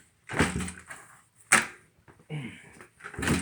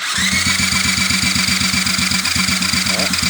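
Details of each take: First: 2001 Honda XR70R dirt bike, after the stator and stator plate were replaced, kick-started: the small single revs in regular bursts about once a second and drops back, with no knock or misfire; normal running. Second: 2001 Honda XR70R dirt bike, just started after the stator and stator plate were replaced: a small single barely idling, with a fast, steady metallic rattle of about four a second over the putt; rattle present, cause unclear.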